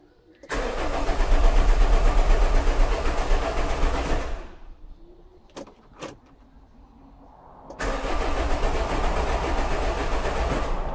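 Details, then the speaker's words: Nissan Kubistar / Renault Kangoo dCi common rail diesel cranks evenly but won't start; fault codes show low fuel rail pressure, injector back leakage test follows, 3 of 4 injectors later needed attention; crank no start. "so turning over and no start already plugged it in uh fa codes that are showing up is fuel uh pressure is down"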